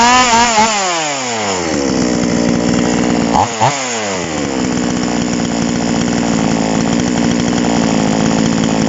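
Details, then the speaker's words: Chainsaw two-stroke engine during carburetor tuning catches on choke, revs climbing and dipping then settling into a fast steady buzz, showing fuel from the tank has reached the carburetor. "เสียงเครื่องดำอ่าแบบนี้ก็คือว่าน้ำมันจากถังน่ะขึ้นมาคาบูเรียบร้อยแล้วครับ"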